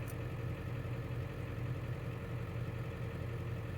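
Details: Ford E350 diesel van just after a brake vacuum pump replacement, which cured a stiff brake pedal: steady low diesel clatter at an even idle with no misses or surging; the engine idles smoothly and healthy.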